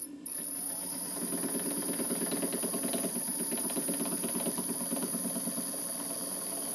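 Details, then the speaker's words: Newly rebuilt model steam plant on its first live steam test, engine cold: rapid, even knocking about three times a second over steam hiss, the piston hitting condensed water at each end of the stroke; drain cocks not essential, and the knocking soon stops. "the knocking sound you can hear is caused by the Piston hitting the water at each end of the stroke these are very small engines so the drain coocks are not essential the knocking soon stops and the engine runs smoothly"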